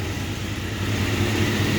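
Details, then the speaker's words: Long-stalled Dodge wagon V8 first run after unseizing, untouched salvaged carb, no coolant: low, fairly even idle with steady rumble, no ticking or missing; normal idle. "It's idling. No way. That carb is untouched."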